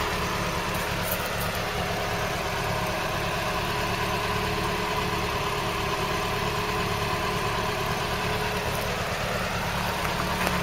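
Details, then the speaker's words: Engine restarted after long disuse (not run since about 1983), cooling system flushed, hose clip replaced: steady even idle with smooth low beat, no knocks, misses or smoke; oil pressure holding; sounds sweet. "no smoke when it starts up no smoke when it's running really sounds sweet"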